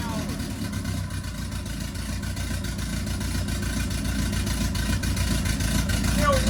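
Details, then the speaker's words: Ford Zetec turbo in an MK1 Fiesta, now running on all cylinders: rough, boomy running with uneven low thumps and big flames; unbelievably rich mixture, even after fuel was pulled, and the gauges give conflicting lean readings. "They were some big flames. Some very, very big flames. It's unbelievably rich."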